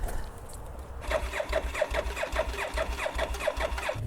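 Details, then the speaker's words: Motorcycle imported from Japan in a shipping container, fuel drained for shipping but oil kept in: starter spins the engine at about four even compression beats a second, never catches; crank no start, no fuel. "this is probably a good time to tell you that we did realize that they drained the fuel out of most of these bikes but they kept oil in t"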